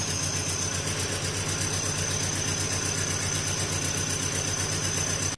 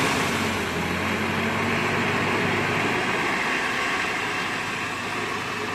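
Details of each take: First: 1993 Nissan 240SX, manual swap, just after head gasket and head stud job: uneven, lumpy idle about four pulses a second with shaky rhythm; misfire because a connector was left unplugged. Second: 1993 Nissan 240SX after head gasket job, unplugged connector reconnected: steady, even idle around 1000 rpm, smooth regular pulses, quieter, no stumble; normal idle.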